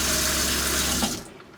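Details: Everflo EF5500 water pump in 2002 Cougar fifth wheel RV after replacing failed pressure switch: strong steady water rush over even low pump hum at full flow, cutting off cleanly when flow stops; pump works normally.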